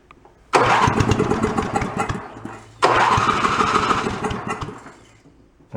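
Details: Toro 1132 snowblower pulled from bulk trash, restarting: two pulls fire into ragged, uneven bursts that fade out, primer bulb not helping; owner suspects the carburetor or fuel shutoff, hard starting.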